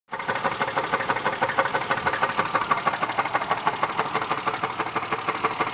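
Sharp, even ticking knock about three per second over a light idle, steady and regular, coming from inside the engine.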